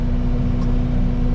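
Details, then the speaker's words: Mulcher head on a machine clearing pasture fence lines and roadsides, spooled up to maximum speed: a loud, steady high whine sits over the machine's rumble, which is normal when it is fully wound up. "I can hear it. It's kind of a whining sound when it really gets wound up."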